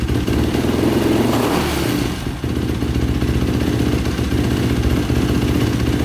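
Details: 2005 Yamaha YFZ450 ATV with a 98 mm big bore, start after rebuild (owner suspected a clogged pilot jet). Steady even single-cylinder fast idle with slight valvetrain clatter, no longer stalling. Exhaust pipe beginning to glow red. Normal running.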